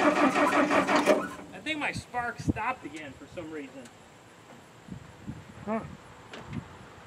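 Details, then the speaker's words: International R-185 fire truck, sat about six years, on first start: the starter cranks about a second with the choke open but the engine won't fire; owner suspects dirty ignition points, cleaned with emery cloth. "I think them points are so dirty let me check the points again and I'll bring you back"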